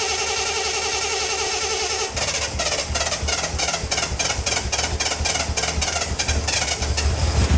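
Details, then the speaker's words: Early 1974 Triumph TR6 running after sitting for years, on fuel of unknown age: engine catches and settles into a rough but steady low beat with oil pressure, then dies; fuel line suspected clogged. "I just wanted to see if it was going to start. She runs. And she has oil pressure, which is good."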